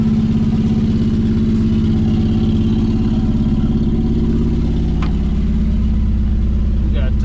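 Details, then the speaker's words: 1963 Plymouth Belvedere, sitting since 1978, restarted after its first wash: steady, even low idle with regular firing pulse, no knocks or misses, oil pressure light off; sounds healthy. "that's the first wash or fresh pressure wash anyways but she started back up and she sounds good"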